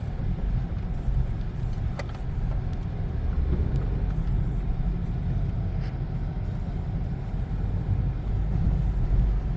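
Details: 2012 Peugeot 308 1.6 on road test after many front suspension parts replaced: even road rumble with no knocks, clunks or rubbing; earlier right-side knocking and scraping noise is gone.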